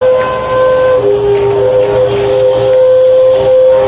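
Loud steady high whistle that steps between two pitches over a hissing rush at startup, an abnormal noise of unknown cause.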